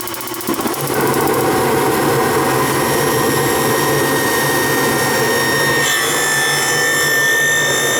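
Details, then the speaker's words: Gas hot air furnace that would not run, fan now running: an even motor hum with a thin, constant high squeal at speed. The fan motor is suspected to need oil or replacement; not confirmed. "probably get some oil on that thing it's a little squeal"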